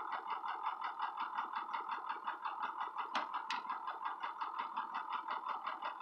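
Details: Ford 6.0 Powerstroke diesel, no power, no codes: really rough, uneven idle pulsing under three beats per second with rattly beat, no accelerator response; Torq Pro shows VGT at 85%, smooths around 2,000 rpm as VGT falls to about 45%.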